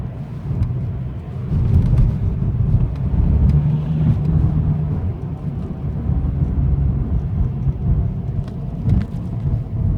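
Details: BMW 123d M Sport diesel while driving: a deep rumbling drone that swells under acceleration and eases when backing off; cause unknown.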